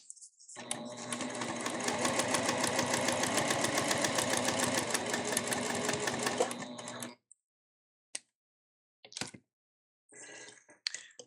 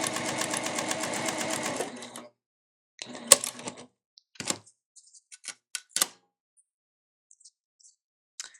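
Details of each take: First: Elna eF1 semi-industrial sewing machine, new, stitching through up to four layers of marine vinyl and waterproof canvas: even, rapid clatter about three and a half stitches a second that never skips or stumbles; healthy, no tension issues. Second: Elna eF1 semi-industrial sewing machine, new, with needle indicator set to top: even stitching stops, then a sharp clunk and scattered clicks as the thread cutter fires; clunky only on cutting, cause unknown.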